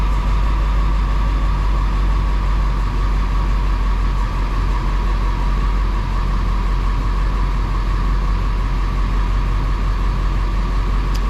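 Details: Ford F250 7.3 diesel with 500k miles, after turbo removal, repair and exhaust repair: deep, steady rumble with no knocks, whistles or misses over eleven seconds; sounds healthy.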